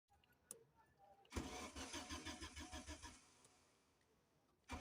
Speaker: all electrical systems are okay but engine cranks and won't start there is no fuel pressure in fuel line because of bad fuel pump and fuel filter